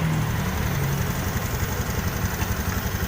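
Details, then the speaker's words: Honda Beat ESP scooter after repair, now powering up and starting without jumper wires, previously stuttering with dead speedometer and ECU fault: smooth, steady low idle pulsing about twice a second with no stumbles or misfires; normal idle. "oke nih sekarang motor2 normal"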